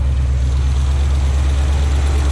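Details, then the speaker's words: 1977 Oldsmobile Cutlass after new exhaust manifold gasket fitted, exhaust blowout now quieter; idling with two plug wires left disconnected, so two cylinders not firing. Heavy, uneven loping low rumble; misfire from disconnected plug wires. "Then we got two cylinders that aren't even firing. Funny."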